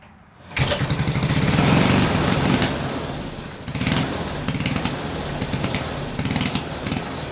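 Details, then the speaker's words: 1974 Briggs and Stratton 8hp 190402, revived after sitting over 10 years, choked and refuelled: pulls over and catches at once, then settles into a steady fast putter with no misses or knocks; engine runs fine. "Wicked, man, wicked."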